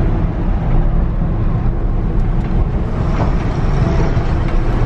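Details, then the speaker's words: 1965 Ford F100 with 5-speed, test drive after new clutch fitted and adjusted: steady even engine drone with road rumble, no clatter or slipping; goes right into gear, clutch and drivetrain healthy. "thing drives good is really good goes right into gear now"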